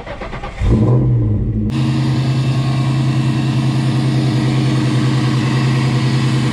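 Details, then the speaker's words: 1999 supercharged Mustang GT V8 with recirculating intercooler setup, warmed briefly and revved: catches into a steady lumpy idle with blower whine, responsive and healthy but running pretty rich, tacky blow-off valve; blow-through conversion planned. "so yeah that's what it sounds like other than the blow-off valve being a little tacky and the car running pretty rich it sounds super healthy still and even it's like really responsive"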